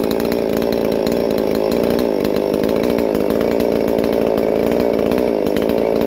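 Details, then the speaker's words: Holzfforma MS 440 parts-kit clone chainsaw, freshly built with ported 52mm big-bore cylinder (~76cc), first runs before break-in: high crisp two-stroke scream held at high revs, slight rich burble, no bogging; running normally. "yep Euler's working it's always good crisp so you gotta put on a bar and start let her eat some wood try and break it in"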